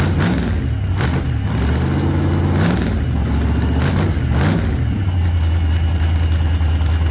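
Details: 1948 Chevy Fleetline small-block V8 (4-speed), first start after sitting a while and a motor repair, rich from heavy throttle pumping: lumpy idle with a few sharp blips rising and falling over a steady low rumble. Sounds healthy.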